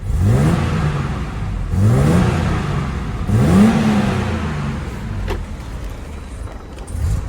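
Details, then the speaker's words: Barn-find BMW 635 CSi after fuel-system work restored throttle response: three crisp revs rising and dropping back quickly with no hesitation; it revs cleanly now, though idle is still rough and a fuel leak is suspected. "well at least it works now but it's hiding like a bag of crap F deliver is all right doesn't idle good but it works now kind of least it revs now"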